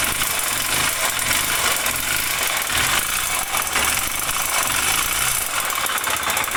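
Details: Honda Bros 125 motorcycle idling with a hard metallic knock over busy top-end clatter; owner suspects connecting rod (biela) noise, not confirmed.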